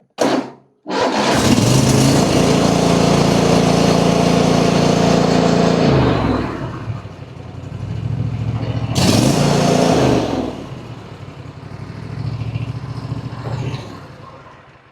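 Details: Single-cylinder lawn mower after repair, started on choke (no start unchoked): short crank, then strong steady run that eases down and picks back up on the throttle; running properly.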